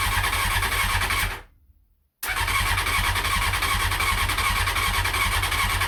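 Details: CBR600F first start after revival, starter bridged and ignition hotwired, half choke, fuel from dummy tank: starter cranks with steady chatter, engine catches for a moment then cuts out and dies; won't keep running.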